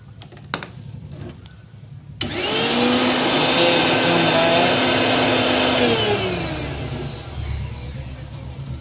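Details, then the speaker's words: Mixer grinder, previously dead, after repair: motor snaps on to a steady high whine for a few seconds, then winds down smoothly without grinding; normal running. "बहुत ही आसान तरीके से ठीक हो गया"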